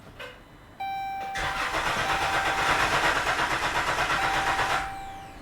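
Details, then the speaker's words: 2013 Dodge Grand Caravan 3.6 Pentastar after rocker arm and lifter replacement. It is cranked in clear flood mode (pedal floored, injectors off) to prime oil. The starter gives an even, steady pulse with no knocking, and cylinder rhythm sounds balanced. Cranking is normal. "we also don't hear any uh engine mechanical or anything crazy like that the cadence or the rhythm of the cylinders sound really good"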